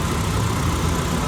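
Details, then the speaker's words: Honda Civic FD K20 idling after an overnight-sit cold start, following the fix for long cranking (rusted fuel pressure regulator, added pressure-holding valve at the fuel pump). Steady, even low rumble with no misses or hunting. Normal idle. "ทิ้งไว้ข้ามคืนนะจบแล้วนะกับปัญหานี้"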